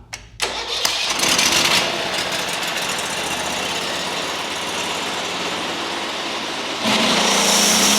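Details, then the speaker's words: Lumbermate 2000 sawmill with Briggs & Stratton Vanguard V-twin: catches after short crank, steady even run, then revs up fully; poor revving was caused by a bent throttle cable, now getting plenty of RPM. Normal running. "Oh yeah, he was complaining it wasn't uh revving up far enough and that's because of this cable because it's getting plenty of RPMs now."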